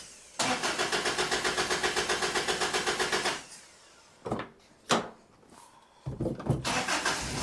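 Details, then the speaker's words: 1985 Toyota pickup, 22R carbureted engine, sat 7 years; after carburetor tuning holds high idle but uneven chuffing and sputtering bursts, foul gasoline smell, water from tailpipe; rough running from contaminated fuel. "It holds a high idle and uh well, it still sounds kind of lousy and I can really smell foul foul gasoline."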